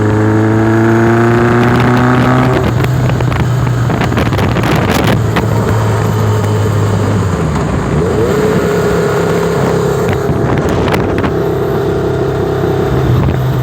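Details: Warm motorcycle on small throttle: exhaust note breaks up and stumbles instead of holding a smooth beat while testing a misfire.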